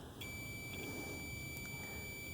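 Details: 2007 Ford F750 5.9 Cummins with misfire, removed injector tested on multimeter: steady high continuity beep over faint rumble on the known-good injector; coil winding good, unlike the suspect injector whose coil is open.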